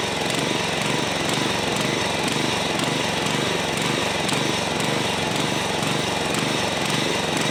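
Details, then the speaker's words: John Deere 14SB push mower, trash find, carburetor only removed and inspected, at half throttle: slightly uneven, lumpy beat with faint surging; rough running, carb likely needs a rebuild. "so the carb more than likely needs to be rebuilt that doesn't surprise me"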